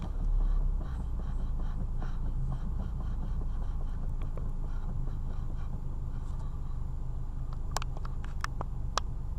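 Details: Mitsubishi Lancer IX while driving; dull low thuds repeating irregularly, three or four a second, under road rumble; steering rack knock.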